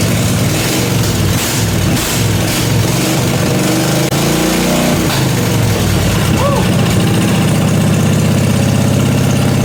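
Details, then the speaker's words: Briggs & Stratton 16 hp 479cc Vanguard V-twin in an off-road go-kart, straight-piped, after carburetor deep-cleaned: catches and settles into even steady idle with a clean blip; runs really good. "But this thing runs really, really good. That's a really good sign."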